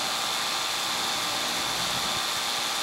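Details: Air conditioning condenser unit, capillary tube system with mismatched equipment, restricted return air, once tripping its breaker, now flooding back after adjustment to about 25: smooth, airy fan rush with steady whir, no knocking or rattling; normal running.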